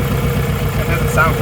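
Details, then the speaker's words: Nissan Pulsar GTiR after water pump replacement, just refilled with coolant: uneven, lumpy idle with an irregular beat, running really rough; cause unknown, maybe needs more coolant. "Sounds really rough. That sounds really rough. What do you think's wrong with it?"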